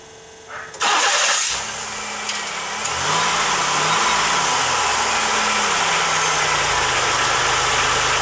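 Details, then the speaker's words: 1995 Pontiac Grand Am 3.1L V6 with a new starter, third try with 1/64 and 1/32 inch shims (about 45 thousandths) after an earlier squeal: a short crank catches quickly and settles to a steady idle with no grinding. A normal start. "Well, I think that's got it."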